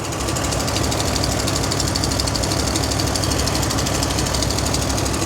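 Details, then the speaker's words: 1968 International Loadstar 1800, 392 big-block gasoline V8, first start after sitting months: sharp, regular tick about three per second over a rough idle; valve train on one bank much noisier than before and smoking more, cause unconfirmed. "So, the valve train on this side seems a lot more noisy than it used to be."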